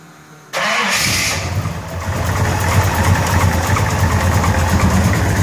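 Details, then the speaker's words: 1933 Buick Series 60 street rod with 454 big-block V8, cold start at about 68-69°F: catches, flares, settles to idle with light ticking rattle, GM wrist pin noise; no obvious smoke. "Engine starts up cold, no obvious smoking. A little bit of that GM wrist pin noise that is often heard on GM engines."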